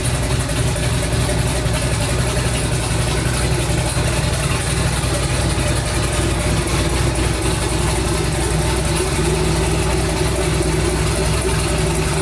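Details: Twin-turbo 5.3 V8 in a New Edge Mustang on first start, fan set to come on at 180, tune learning: deep, steady V8 burble at idle with no misses, knocks or hunting; engine runs evenly, normal idle.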